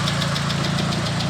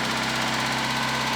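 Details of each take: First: Proton Satria at operating temperature after radiator refill: steady even idle with radiator fan whirring on; cooling normal, though a coolant leak at the throttle body remains. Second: Proton Satria just after rebuild, first start with no coolant yet: fast, light ticking over slightly high idle; hydraulic lifters removed and cleaned, dry until oil pressure pumps them up.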